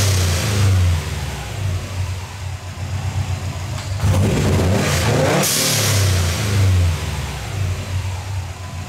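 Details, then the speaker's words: Turbocharged car, warmed up, GO FAST BITS Response dual port blow-off valve being tuned with Allen wrench after one full turn in, hard rev: revs climb, then a prolonged airy hiss hangs on returning to idle; valve lingering open, needs another turn. "I think I'm going to go in one more turn and see how it does. It still seems to be lingering open as it's returning to idle."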